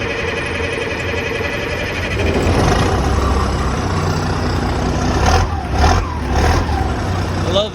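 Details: M35A2 2.5-ton 6x6 military truck diesel, which will not start without ether and needs an injection pump hydraulic head replacement; started on ether, a heavy, even diesel clatter settles into a steady run, sounding healthy.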